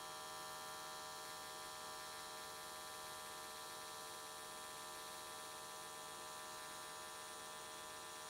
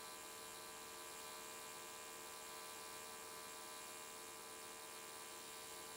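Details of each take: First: AC TIG welding aluminium S13 catch cans, vertical welds, after switching to square wave: steady, even electric buzz with no crackle or wander, arc burning smoothly and definitely more stable than before. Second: AC TIG welding aluminium Nissan S13 catch cans: harsh electrical buzz with a restless edge as the arc wanders all over the place, unstable, with the welder chasing a blow-out almost the whole way.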